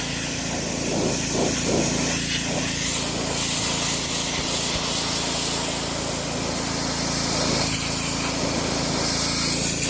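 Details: DeWalt DXP3123 pressure washer with Honda GSV170 engine, pawn-shop unit with old gas and a missing air filter housing, after line purge: steady engine drone under constant spray hiss, no surging or knocking; plenty of pressure, running normally under load.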